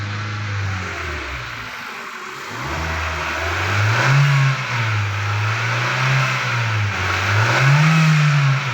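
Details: 2016 Hyundai Elantra engine bay: a low hum rises and falls with each rev; the power steering pump is mentioned, but the source can't be pinned down by ear and the cause is unconfirmed.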